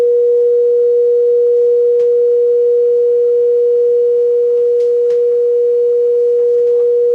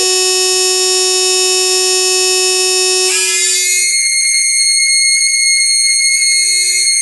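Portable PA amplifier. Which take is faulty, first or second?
second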